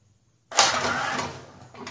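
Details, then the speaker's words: 21-inch Snapper mower that made bad noises then died after rear drive repair, spark plug wire off, engine spun by starter: sharp metallic clunk then fading rattle; owner suspects loose blade or rod, unconfirmed. "Just spin that starter. Oh yeah, just gonna put oil everywhere. Like I haven't made enough mess around here. Starter spinning out. Listen to that clunk."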